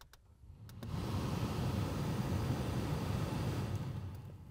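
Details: 2014 Jetta SportWagon blower motor after replacing a noisy one that sounded like a helicopter behind the dash: a couple of clicks, then a smooth, steady airy rush with no rattling or ticking, normal operation.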